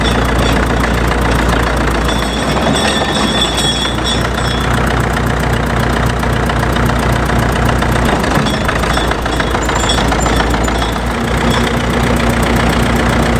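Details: Caterpillar D4 7U dozer with HT4 Traxcavator loader, rescued from a pasture after many years idle, running after a new starter and solenoid were fitted: steady, even diesel clatter at one speed, no misses or surges; normal running.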